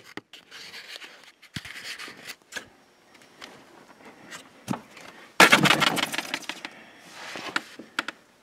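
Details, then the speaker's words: 2020 Can-Am turning with the front end locked in four-wheel drive; sharp, uneven clicks at about three a second as the front driveline spline slips, the shaft not turning with it. "look at that driveline you see that spline right there that's where it's slipping"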